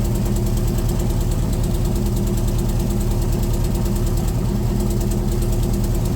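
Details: C3 Corvette V8 with Holley four-barrel carburetor idling, running rich and smelling of gas before the tune; mechanic says float level set too high is part of it, adjusting all four barrels: lumpy, uneven idle beat; rich running from high float level.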